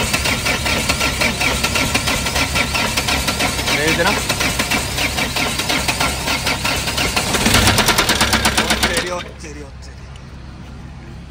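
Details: Mahindra Scorpio diesel running on the road: harsh, fast, uneven clattering knock, about three a second, then it cuts out; something broken inside, engine believed seized after earlier noise, taken for engine opening, cause not confirmed.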